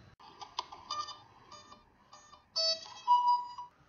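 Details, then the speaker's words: HobbyKing 20 amp ESC speed control, stock firmware before SimonK flashing, at power-up: short series of clean rising electronic tones, then two longer beeps; the normal factory startup sequence. "I want to go ahead and let you hear what a standard speed control sounds like pre"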